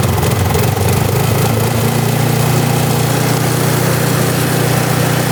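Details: Snow blower with electric start, fired up after basic fixes for a no-start such as fuel and carburetor checks; catches and settles into a steady, even single-cylinder chug with no misses or hunting; healthy idle.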